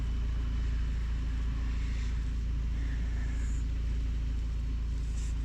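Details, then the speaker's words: Suzuki Wagon R with hard starting and code P0134, idling at 1,600 rpm (sometimes about 2,000): a steady fast idle hum that never settles. The O2 sensor reads a fixed voltage. "engines not running right we're idling 1600 rpms which is very very high"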